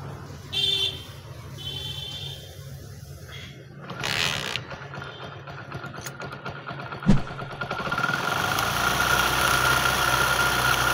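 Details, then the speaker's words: 1999 Hero Honda Splendor Plus single, after the magnet (flywheel) side was opened and refitted to cure a noise from that side at idle: after brief clatter it settles to an even quiet idle with no rubbing; now runs freely. "अब आप देख सकते हो बिल्कुल office नहीं आ रहा है इन जो है वह बिल्कुल फ्री चल रहा है"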